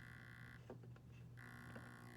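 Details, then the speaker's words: Hornby Tornado Express model locomotive, not run in and repaired after arriving broken, at about a third to a quarter throttle: steady low growl with buzzing upper tone; motor growl, cause unclear. "oh sounds like it's growling why is it all right i am that's about a third of the throttle now fourth um"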